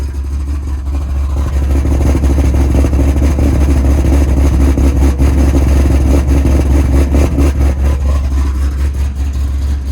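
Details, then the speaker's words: Bullitt Mustang V8 at idle after new spark plugs, coolant still warming up: deep, even burble with a steady beat and no misses or ticking, sounding much healthier than with the old plugs; normal idle. "so basically the car sounds much better than it did with the old spark plugs so definitely sounds much much healthier"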